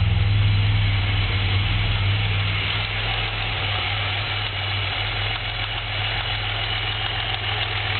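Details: Pontiac Grand Prix at steady idle with a dull, regular knock about three or four times a second under the engine note, attributed to a spun rod bearing.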